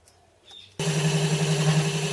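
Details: Vibration through the setup while machining a 6" (152mm) aluminium pulley on a home-built Gingery milling machine, not bolted to the bench; spindle shims adjusted to remove play, now running slightly warm; gibs adjusted. Steady low buzzing hum with faint pulsing vibration.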